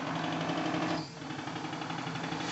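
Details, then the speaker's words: RC live steam model boat (Clyde puffer Kilchoan, about 11 kg) running on water after leak sealing: quick, even chuffing with a brief dip as it changes to reverse, then steady again; reverse seems more efficient, possibly due to propeller pitch. Normal running. "il est possible que la petite hélice est un pas qui en marche arrière lui permet de fonctionner plus facilement on l'entend au son"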